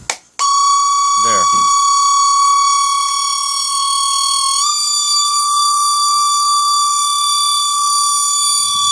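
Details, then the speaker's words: Mercedes 600SL throttle body motor at low RPM after electronics cleaner: a steady high-pitched whine of about 1 kHz shifts pitch as the supply voltage changes, and went away when the voltage was decreased. High RPM usually doesn't produce it. "I'm changing the voltage so you hear the pitch changes that was the high pitch noise"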